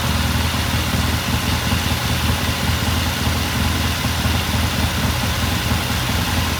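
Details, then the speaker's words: 1969 Triumph TR6 twin, warm idle after cold start; pilot air screw turned in half a turn to richen starting after pilot jet cleaned. Steady, even low thump, no misses, knocks or hunting; idling cleanly, normal warm idle. "It sounds good. I'm just going to let it sit here and idle for a while. Run for a few more minutes."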